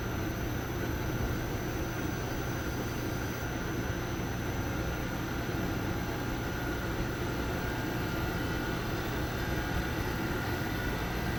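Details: Used 3-ton mini-split outdoor unit in cooling mode, after a broken main-board fuse feeding the reversing valve was replaced: the outdoor fan and compressor ramp up into a steady low hum with no rattles or knocks. Running normally, blowing cold.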